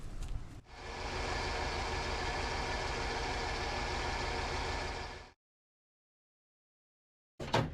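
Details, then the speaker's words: Ford 300 (4.9L) straight-six in an OBS Ford truck at idle: a light, regular knock that sounds like a rod knock. It is actually a broken, loose hood deflector rattling, which was removed. "If you heard what sounded like a rod knocking when the engine was running, it wasn't a rod knocking, it was this deflector that was on the hood right here."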